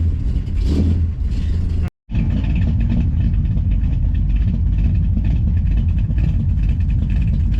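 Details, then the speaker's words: Carbureted engine in a vehicle with a broken transmission stuck in one gear, run briefly with no radiator: deep, throaty, snorty idle with a steady low rumble and no knocking, so the engine sounds healthy. "Still has some snort to it. I don't hear nothing knocking in there."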